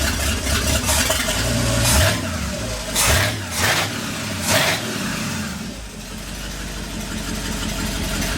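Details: 1959 Ford F100 Special Delivery panel truck V8, idle turned down from about 1,400 rpm with vacuum advance fully advanced, not yet warm: lumpy, uneven idle with a ragged beat between throttle blips, misfiring from loose spark plug wires.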